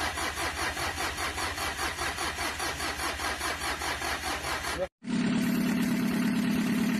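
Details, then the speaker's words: Mitsubishi L300 diesel with heavy blow-by, as received and cold in the morning: long uneven cranking chugs about 2.5 per second that never catch. Compression is suspected very weak; the piston ring gap was found at 5 mm. "Oke teman-teman, ini kondisi awal mesin L300 ini pada saat datang itu dihidupkan pagi itu sangat kesulitan ya, tidak hidup-hidup ya, kemungkinan kompresinya sudah sangat lemah sehingga sulit dihidupkan."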